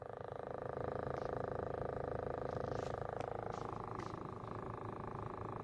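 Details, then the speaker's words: Toyota Corolla cabin with the AC running, a steady low hum with a soft rhythmic throb felt on the passenger/blower side, traced to inside near the sunroof. "अच्छा अली भाई, ये आवाज़ चेक करें जो आप कहते थे ना एसी चलाने पे ब्लोर वाली साइड पे यहाँ से फील होती थी।"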